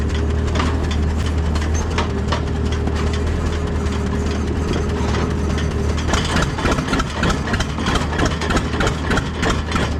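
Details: Allis Chalmers tractor, believed late-1940s WC or WD, possibly 6-volt positive-ground system, first run after roughly 15–20+ years sitting: low, steady thumping idle about three and a half beats per second, holding even; normal idle.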